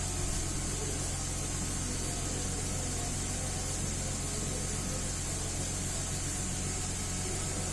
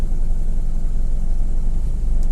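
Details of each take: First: 2010 Mercedes GLK 350 V6 petrol that had bank 1 misfires and a P0017 exhaust cam retarded code, heard after the cam solenoid was swapped and cleaned. It idles steady and even on all six cylinders with no misfires. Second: 2010 Mercedes GLK 350 V6 with lumpy, uneven idle, live misfire counts on cylinders 1, 2 and 3, running on half the engine, code P0017 bank 1 exhaust cam retarded; suspected stuck cam timing solenoid, possibly gum-clogged spool valve.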